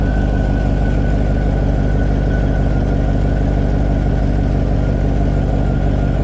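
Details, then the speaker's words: 2000 Chevy Tahoe 5.3 V8 idling on the lift after rear main seal replacement, checked for leaks; deep, steady idle with an even, smooth beat and no knocks, ticks or misses; running normally. "Last thing we're gonna do before I bring this car to the ground, I'm gonna start it up, make sure there's no leaks, make sure nothing crazy is going on."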